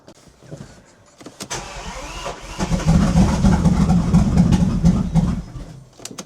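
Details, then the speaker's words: Bentley Continental GT, unstarted since 2017 and sat three years in a field, after eliminating split vacuum lines: steady starter churning, never fires; crank no start, owner suspects stuck injectors, plans swapping in old injectors. "No, it still doesn't want to start. And there's still a issue with something now."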